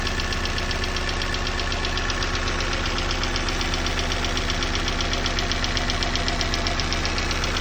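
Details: Opel Z16XEP engine running cold, with a fast, fairly even knock of about two per second over a steady idle; cold-start knock, cause unclear.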